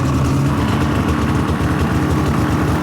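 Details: Polaris Indy 600 two-stroke snowmobile: steady even low burble, clean healthy idle with no stumbles or misses.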